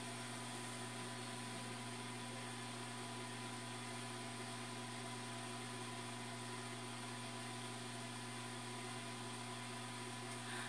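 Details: New automatic egg incubator bought online, just switched on and warming toward its 37.8°C setpoint: quiet, steady whir with a faint constant hum, no rattles, ticks or wavering speed; the incubator fan is running normally.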